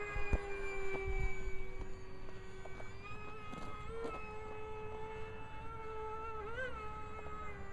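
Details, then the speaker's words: 55mm EDF A-10 RC jet, twin motors on a single ESC, 3S 1300mAh 40C LiPo: high fan whine wavering up and down in pitch like interference; motor warbling, owner suspects the single ESC on the two motors. "it's almost like an interference kind of thing but think it may be caused by the single ESC on the two Motors"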